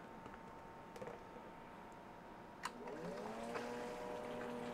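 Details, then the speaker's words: HVAC condensate pump test-run by holding it down: steady hum whose tone shifts upward as the water runs out and the pump gurgles; runs smooth and strong. "we can just hold it down and you hear it run out of water just let it off pretty smooth pretty powerful pump"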